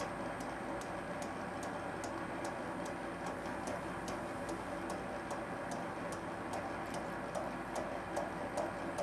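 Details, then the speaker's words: Schaublin SV-51 (1955) milling machine, high speed steel cutter machining Uddeholm Vanadis 4 tool steel compressor vanes with cutting oil; light sharp ticks about 2.5 per second over machine hum: cutter knocking on interrupted cut, later starting to whistle. "Oh, now it's, and it's not knocking too hard. Actually, it's very nice. Well, it's knocking."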